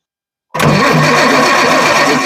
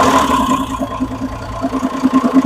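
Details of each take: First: 1966 GMC bus chassis RV with Perkins diesel, sat 30 years, new injection pump being bled with lines cracked: starter spins steadily about two seconds but never catches; air-locked fuel system. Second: Homemade Perkins diesel RV on 1966 GMC bus chassis, parked 30 years, after new injection pump fitted and pump and injectors bled: steady diesel clatter settling to smooth even idle, oil pressure over 40; engine sounds healthy.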